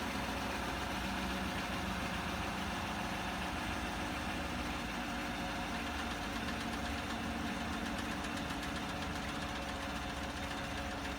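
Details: 2016 Chevrolet Silverado, 40,000 miles, idling; quick, uneven light ticking about three to four per second from the engine compartment, diagnosed by dealership as a failing vacuum pump.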